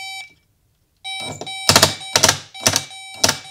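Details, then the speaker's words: 1987 Mazda RX-7 power window regulator: motor runs with bursts of sharp, uneven clacking and ratcheting as the sprocket skips over a gap where the bead chain's beads have broken; earlier bead-filling repairs didn't hold. "And there's what happens when the beads break. You end up with this gap in here where the sprocket basically is spinning on the chain, so to speak, because there are no chain teeth in the sprocket anymore."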